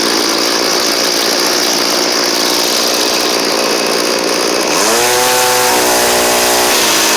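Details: Cheap two-stroke string trimmer after a new carburetor and fuel lines: a loud, high buzz rises sharply and holds clean and even at full throttle, so it runs well at the top end; only the string head needs fixing.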